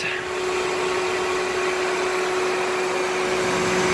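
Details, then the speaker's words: 2003 Toyota Corolla 1.8 L 4-cylinder with AC, starting and idling just after accessory drive belt replacement, in Arizona summer heat: even steady idle, constant low hum, no chirp or squeal; normal idle. "Alright, go ahead and start up. There we go. New belt."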